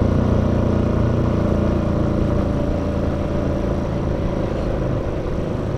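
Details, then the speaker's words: Yamaha Jupiter MX 135 after engine overhaul, test ride climbing a steep hill: steady pull with raspy, chuffing exhaust from a leak at the header joint; some valve noise also noted; exhaust leak. "Mantap ya cuman berisik dari knalpot doang sih tadi knalpotnya berisik banget karena e bocor ya knalpotnya bocor"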